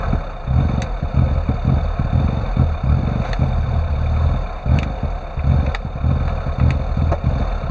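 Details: Classic Rover Mini with an unstable idle: it won't rev when the throttle is opened, although the throttle voltage changes. Low, lumpy idle with uneven pulses and irregular dips; the engine hunts and never settles.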